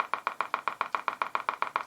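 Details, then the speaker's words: Kriesler 11-20 valve radio on first power-up, brought up to 200 volts. Steady putt-putt pulses of about seven a second from the speaker with no program audible: motorboating. "we've got some life motorboating well okay let's turn it off I didn't like that I don't know what's causing that"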